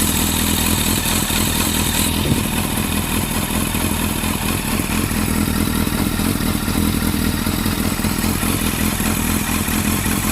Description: A quick video illustrating the rough idle of my Yamaha Fazer